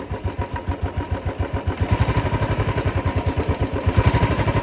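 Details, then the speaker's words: Royal Enfield Old Bullet Classic 350 single-cylinder idling after engine rebuild, timing reset and oil pump fitted: steady thump with a light metallic "chhan chhan" jingle on each beat; source unknown, owner says it is not hydraulic (tappet) noise. "लेकिन ये आवाज कहां से आ रही है मुझे ये समझ नहीं आ रहा छन छन छन की आवाज है बहुत बाइनर सी है"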